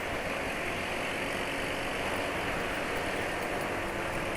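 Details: Yamaha NMAX scooter at idle: even, steady hum with no knocks or rattles. The engine runs smoothly; normal.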